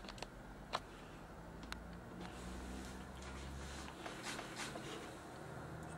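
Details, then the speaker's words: Samsung PS42A451 plasma TV, S42AX-YB04 panel, entering hidden screen service mode by shorting two pins while plugging in: a couple of sharp relay clicks over faint hum on power-up; normal, screen lights, fault later traced to signal board EEPROM. "Hear the relay clicking. Notice that one of these LEDs came on briefly and then went off."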